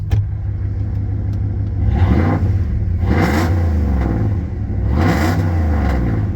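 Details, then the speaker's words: 1998 Dodge Ram 1500 running without a muffler: deep low exhaust rumble swelling with each of several revs; open exhaust sounds healthy. "oh she sounds even better it's kind of like when you hook up subwoofers don't really notice them"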